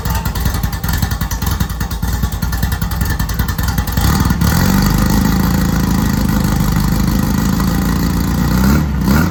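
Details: Rally VW Beetle with a newly installed 1776cc air-cooled flat-four, upgraded from single-port to dual-port, first start in neutral: catches into an uneven lumpy idle, then blips to a fuller steady throaty rev; healthy fresh engine running in.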